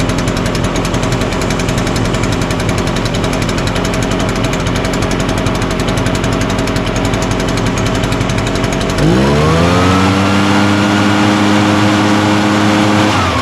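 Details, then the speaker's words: Echo PB-580T backpack blower, run outside after new recoil starter rope, new coil and kill switch repair: small two-stroke buzzes steadily then climbs cleanly to a smooth high rev and holds; starts easy, runs good, fixed. "well that sounds good. I think starts easy, runs good, blows hard."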